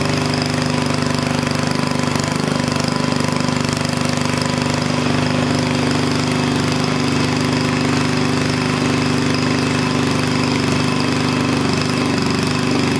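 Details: Onan engine mounted for a log splitter, running after the carburetor governor linkage was bent back: a fast, steady drone at about 3,400 rpm with no surging, misses or knocking. It runs healthy, and the stop switch works.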